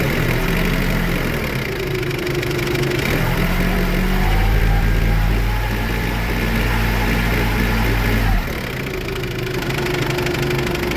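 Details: Toyota forklift with no-start from a weak battery despite green indicator, running after battery checked: idle rises smoothly to higher steady rev, holds, drops back evenly; charging about 13.8–14 V when accelerated; healthy, unstrained.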